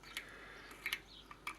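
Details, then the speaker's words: Mountain bike wheel hub spun by hand: faint dry rasp broken by irregular sharp clicks from one damaged bearing, found after a flat tubeless tyre; the other bearing is still good; damaged one must be removed and replaced. "Parce que bon, il y en a un qui est abîmé, donc c'est sûr qu'il va falloir l'enlever."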